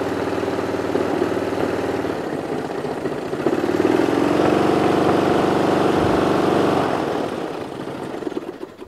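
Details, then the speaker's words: Toro Wheel Horse 1238XL lawn tractor, cold start after sitting overnight with the magneto recently replaced: starts easily off choke at low throttle, then a steady, even small-engine beat. Nothing amiss, a normal idle. "let's see it actually starts well off choke like almost like low throttle it starts well"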